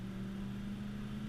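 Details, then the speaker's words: 1996 Ford F250 V8, warmed up, about 3/4 throttle accelerating uphill after a sharp turn: deep, steady engine drone holding even pitch, no knocks or misses; normal clean acceleration under heavy throttle. "Got about 3/4 throttle for acceleration up the hill."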